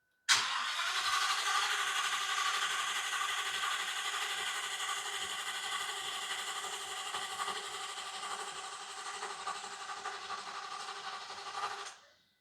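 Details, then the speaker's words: 2019 Ford F-59 commercial, 6.8 V10 gasoline, P0304 cylinder 4 misfire: cranking with throttle wide open during relative compression test, steady even beat about four pulses a second, no weak cylinder; even compression, no apparent mechanical problem. "Aquí vamos a ver todos los cilindros parece que no hay Aparentemente se puede ver que no hay problema mecánico"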